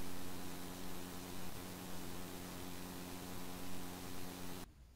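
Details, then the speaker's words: Steam Deck OLED 3.5mm headphone jack output: constant low buzz under steady hiss, like computer coil whine; absent on owner's earlier LCD model. Suspected grounding design flaw; ground-lift isolating the board's ground appeared to reduce it, not confirmed. "the 3.5mm headphone audio jack is kind of noisy um it makes like a buzzing noise or kind of a static noise"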